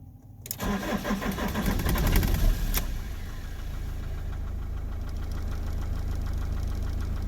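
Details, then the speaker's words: 2006 Iveco Daily 35C14, 3.0 HPI F1C diesel, 136 hp, after fixing its hot no-start fault without a diagnostic tool. Hot start: a brief crank, then it fires first time into a steady, even idle with no flashing lights. Normal hot start. "As you can hear, the engine is running okay, there's no flashing lights, problem is fixed."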